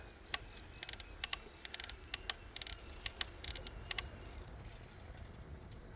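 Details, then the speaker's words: Bicycle ridden on a rail trail, loaded with overnight gear: short, sharp creaks about once a second over wind rumble from the Brooks B67 sprung leather saddle while pedaling; creaking was fixed the next day. "That creaking sound is a saddle. Again, I didn't move up any of the metal parts today."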